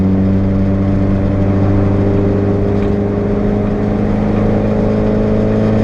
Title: Renault 5 GTT - GoPro Test - On boost misfire